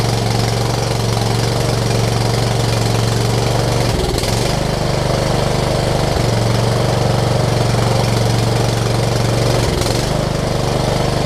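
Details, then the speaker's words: Toro Z5000 zero-turn with Kohler Courage engine, a little low on oil: a hum that sags and stumbles every few seconds. Running rough; owner suspects the choke lever adjustment, as the choke doesn't kick in properly. "all right maybe it's a choke lever adjustment i don't want to run it too much because it is a little low on oil but that does help us know that it was uh not that so that's good i'm going to see if i can adjust the choke a little bit because it seems like it doesn't want to kick in properly"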